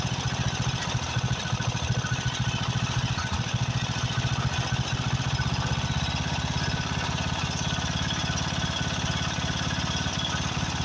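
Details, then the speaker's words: Craftsman riding mower, 13.5 hp Briggs & Stratton OHV single, after a carburetor replacement: three to four beats a second with uneven, lumpy firing. Owner suspects fuel mixture adjustment or possibly a blown head gasket. "the first thing got a blown head gasket but it could just be where I have to adjust the fuel uh to a mixture"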